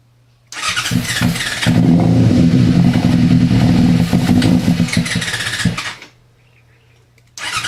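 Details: Yamaha FZ6 no-start: fires with starter fluid, runs rough and uneven for about five seconds, barely holding idle while feathering throttle, then sags and dies; dies immediately if throttle applied. Cause unclear.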